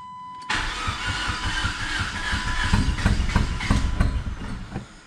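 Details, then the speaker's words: PT Cruiser GT Turbo 5-speed, long-sitting, after broken timing belt repair, fuel primed three times, borrowed battery: starter churns with ragged firing pulses that nearly catch then fade; wants to run, idles very low. Owner suspects an unplugged sensor. "sounds like it wants to run it's idling real low we have life we have life"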